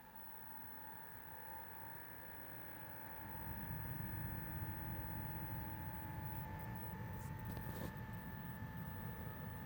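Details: Bluetti AC200P power station: steady high tones over a quiet hum, then the first-stage cooling fan spins up around three seconds in with a rougher whirr; abnormal fan noise, cause suspected not confirmed.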